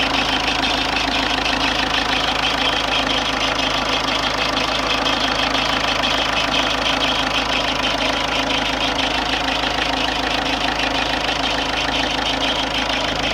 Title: Ford Fiesta 1.4 TDCI (52) strange engine noise